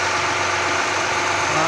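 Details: 2014 Honda Accord V6 at cold-start idle, with a faint, light tapping under the steady engine note. This is engine knock at cold start; the cause is not clear.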